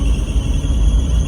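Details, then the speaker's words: Daihatsu Atrai with engine running: constant thin high-pitched power steering squeal over a low rumble; steering was very hard and underside oily, and a leaking hose is suspected, not confirmed. "It's actually really, really bad. That's why I thought I had no power steering fluid."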